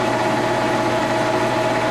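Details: Old tool and cutter grinder spindle running at about 1200 rpm: smooth, steady mid-pitched hum with an even tone and no knocks or rough spots; healthy spindle.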